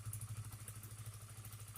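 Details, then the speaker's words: Honda CBR that stalled and hesitated while riding, now idling evenly with no stumbles after repair. Fuel pump and filter area cleaned, pressure steady at 40 psi; faulty spark plug cap temporarily fixed with wire strands. "Yang jelas, motornya sekarang baik-baik saja, tidak mogok lagi."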